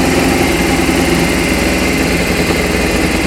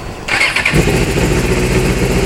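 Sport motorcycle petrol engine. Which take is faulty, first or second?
first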